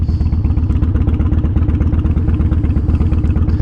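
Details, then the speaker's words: Dyna with 88 cubic inch V-twin, possible fuel system leak suspected: loping idle thump with beats slightly quicker than a lazy idle; idling a little high, cause not confirmed. "Sounds like it's idling a little high."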